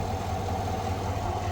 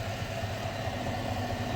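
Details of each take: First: 2021 Silverado idling smoothly after replacing the idler pulley and serpentine belt, heard through a funnel held on the pulley bolt: steady, even hum with the earlier whine gone. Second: 2021 Silverado idling with a faint constant whine that grows louder with revs, heard through a funnel on a screwdriver held at the idler pulley; the idler pulley is confirmed as the source.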